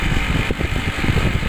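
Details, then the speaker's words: Air conditioner outdoor unit after repair of a no-cooling fault: steady low hum with the fan's even whoosh, no clatter or buzzing. The compressor is running normally and the pipe turns cold. "Oke kita coba lihat langsung outdoornya dan alhamdulillah ya untuk kompresor sudah menyala ya"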